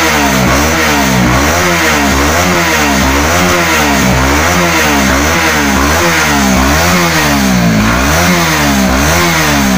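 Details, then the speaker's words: Honda CB150R (new LED) with misfiring ("brebet") at low and high rpm; after injector cleaning, spark plug cap and fuel pump filter (pressure near 40, idle normal), throttle blips rise and fall cleanly with no stutter, more responsive, smooth revving. "jadi untuk gasnya lebih responsif udah nggak ada brebet lagi"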